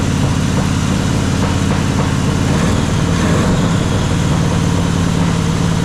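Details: Jeep XJ with swapped 350 V8, first startup, distributor loose: a rough, lumpy idle with a stumbling beat and no clean rhythm. It runs on only a couple of cylinders; number one is not firing, and the cylinders without compression are dead.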